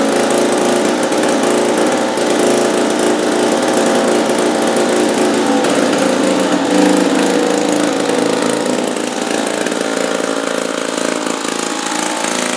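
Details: 1950s two-stroke lawn mower (likely Wheel Horse-made, Dunlap name), first start after about 10 years hanging on a wall: loud, even buzz with a raspy exhaust note, running steady with no misses.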